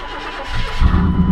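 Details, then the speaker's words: Truck with long-standing starter problems (three new starters fitted) gives a brief crank, then catches right away and settles into a deep steady rumble. Clean normal start, before repairing its blown-out muffler. "having starter issues on this thing tenant for awhile I put three new starters on here but it's always just a pain to get it started see how it is"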